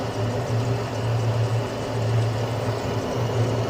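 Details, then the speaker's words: Carrier Infinity 96 (58MVB-080) gas furnace in heat mode with four burners, one recently realigned during a PM: the igniter glows, the gas valve clicks, and the burners light on low fire with a steady low roar and even hum, no popping; normal low-stage ignition. "now the igniter is glowing so you hear the gas valve click and you'll see the burners"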